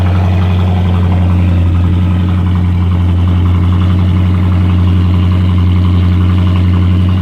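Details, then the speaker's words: Car idling with a throttle body warning light appearing on the dash: steady, even, smooth hum with no knocks, misses or ticks. Normal idle. "Fire it up. It's got a good sound to it."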